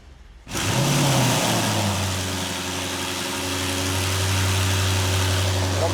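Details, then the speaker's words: Fire-damaged Audi RS6 rebuild on the third start attempt, after a swap made on inspection: the engine catches cleanly and settles into a steady, even idle with a smooth low rumble and no misses; normal start and idle. "I cannot believe the engine is finally on and we have a fully working and running RS6."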